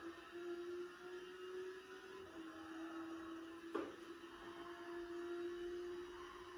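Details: Thrustmaster T300RS GT wheel in GT Sport at torque 4-5, FFB 6: single sharp pop over motor whine on fast direction reversal, fading at torque 1-2; caused by motor's D-shaft slipping in its plastic gear cog.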